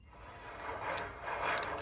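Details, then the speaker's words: Worn front wheel bearing in the hub of a 2005 Ford Explorer XLT 2WD, hub turned by hand before removal: a rough, dry metal-on-metal scraping that swells and fades twice. Bearing is shot. "Sounds like metal scrubbing against metal. This thing is shot."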